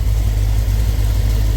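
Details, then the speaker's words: 1975 Ford F250 fresh 460 V8 with Edelbrock Pro Flo EFI, base tune and timing set, cheap turbo mufflers fitted; deep, steady rumble holding an even idle with no misses, ticks or hunting. "very smooth got a real good startup tune in here got my uh timing set so everything just seems to be going Perfect"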